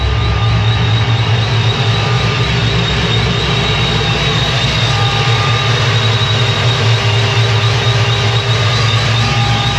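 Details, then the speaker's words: Procharged GTO after fixing fuel pressure issue in custom in-tank dual-pump setup, pressure holding with second pump on; warmed up, no leaks, deep even idle with no misses, knocks or hunting; normal running. "perfect pressure seems to be holding perfect so we're going to let it run a few more minutes and give it a final once over"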